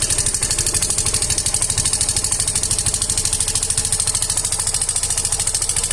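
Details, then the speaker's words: Yamaha Fino 125 with noisy engine: loud sharp ticking, about three clicks a second, over the idle; decompressor on the exhaust valve keeps lifting the rocker roller and has damaged the exhaust rocker arm; exhaust valve train clatter. "Teman-teman sudah melihat tadi, mendengar bahwa suaranya sangat berisik sekali."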